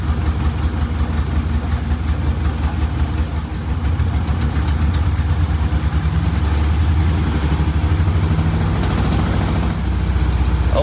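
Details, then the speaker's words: 1962 Austin Healey Sprite Mark II, long-sitting, after priming the oil pump to cure no oil pressure: low steady four-cylinder burble with even pulse, no ticking or knocking; idles cleanly with oil pressure up. "with the oil pump primed let's give this a go again and there you go we have oil pressure now"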